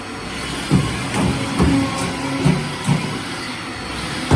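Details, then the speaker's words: Haas VF3 mill with new way cover seals, rubber wiped with WD after running without oil: dull clonks every half to one second over a steady hum as the covers travel; not binding, clonk normal for a bigger machine. "Obviously you can hear them a bit more of a clonk, clonk, clonk, but how the other one sounds, I suppose. The bigger the machine, the more they're going to be like that."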